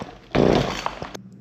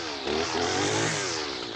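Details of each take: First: Husqvarna 223L trimmer, cranked with choke on, primer bulb pumped and throttle squeezed: short rasping pull-start burst that never catches; won't run, blamed on old gas or rotten lines and fixed with a carburetor kit. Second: Husqvarna 223L two-stroke trimmer that previously wouldn't run, after a carburetor kit rebuild and fresh gas. Revs cleanly up and down and picks up throttle smoothly without stumbling. Running normally.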